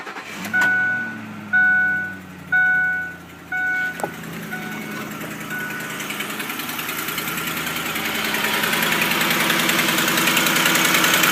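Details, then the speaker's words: 2006 Ford Super Cab on cold startup: four chimes, then the engine starts and idles with a fast, light ticking under the running noise that disappears as the engine warms. "Super Cab, noise on startup."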